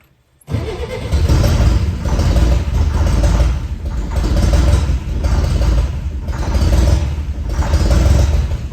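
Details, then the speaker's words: 1964 Chevy Corvair with the exhaust fallen off, running only on starter fluid: loud, rough running with a hard knock under the roar. The cause is unknown; the owner hopes it goes away. "so there it was running but it was running completely off starter fluid and it didn't sound really good as you could hear it was knocking pretty hard"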